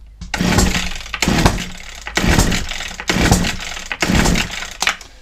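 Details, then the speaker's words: Old Husqvarna 22R strimmer, petrol poured into the carb throat, choke and throttle open: five quick pull-cord cranks about a second apart with compression on each, never fires. Owner suspects possibly no spark. "Nothing. Let's get a bit more pull, because sometimes the petrol doesn't actually ignite."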